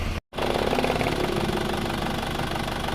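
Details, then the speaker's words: Car just after an engine overhaul, first start before it reaches working temperature with thin exhaust smoke: steady, even idle with a smooth low hum and no knocks, ticks or stumbles; engine runs normally. "Hidupnya halus teman-teman. Alhamdulillah hidupnya rata dan terasa ini normal-normal saja."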